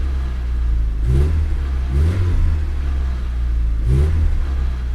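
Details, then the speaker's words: 1991 VW Passat B3 1.8 petrol after distributor cap replacement (it misfired before): three quick clean blips settling back with no misfire or stumble; healthy revving. "вы знаете е даже и неплохо работает"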